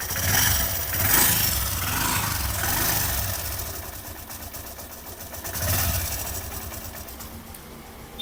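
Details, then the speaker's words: Hero Passion X Pro BS3 single idling with a dry, fast metallic rattle swelling with revs; timing chain replaced twice yet noise returns within 10–15 days, slack timing chain suspected. "Engine से एक अजीब सा झरझर आने का sound सुनाई देता है जो कि आपको इंजन स्टार्ट करके थोड़ा साउंड सुना देखिए"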